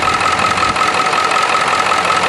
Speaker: you take the cap off and you're blowing a lot of smoke out of the orfill tube you probably got a bad ring or a bad